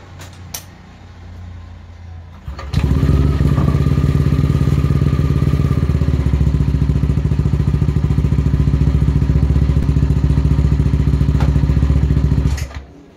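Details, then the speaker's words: Yamaha NMAX v2 scooter, started after the two 12 mm exhaust elbow bolts were tightened, listening for a leak at the elbow; it settles into an even, fast chuffing beat about three pulses a second; a leak was found there, so the bolts need tightening further. "may napil tayong singaw. So hihigpitan lang natin ng mas maayos."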